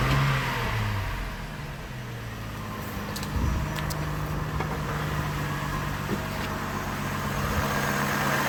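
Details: Chevy Trailblazer six-cylinder, intake piece off, just after fitting all six new coils and new spark plugs: catches quickly, revs up and settles to an even, steady idle with no miss or stumble; running smoothly.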